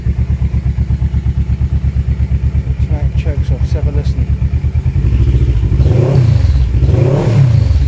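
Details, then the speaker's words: Auction-bought Kawasaki KLE 650 A7 warming up, exhaust missing its baffle: steady, even twin thump at idle, then clean quick revs rising and falling smoothly with no misfire or knock; normal idle and revving. "I'm gonna let that warm up for a second sorry for the finger well couldn't be happier with that"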